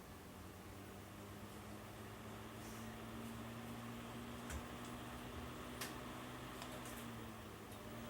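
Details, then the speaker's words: Outdoor-rated kid-safe ceiling fan with LED lights over a bunk bed, on high speed: steady, even low hum with soft rush of air, no rattle or wobble; sounds like a high velocity fan, running smoothly. "but it does sound like a high velocity fan so let me put on low maybe you can hear the noise here's medium"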